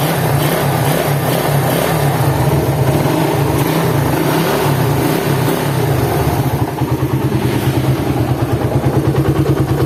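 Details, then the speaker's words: Suzuki Satria FU on a cold start, said to get worse when hot, with a coarse, uneven rumble and rough knocking undertone at idle; teardown confirmed crankshaft main bearings with side and vertical play, and the ratio bearing was also bad. "dengan keluaran mesin kasar ya kasarnya ini seperti di bearing kruk as sama rumah kopling"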